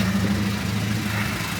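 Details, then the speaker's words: Classic car with a carburetor that had just backfired under some throttle during routine maintenance: steady, even idle with a low smooth hum and no knocks or misses, owner finds nothing wrong; normal idle. "have a listen well there's nothing wrong there it's about the proper bees"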